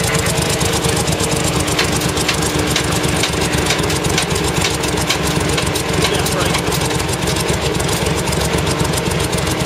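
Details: CVR(T) Striker FV102 Swingfire tank, August 2010: loud, lumpy engine with uneven, stumbling beats and dropped firing pulses; misfiring badly, caused by a stuck valve; engine later replaced.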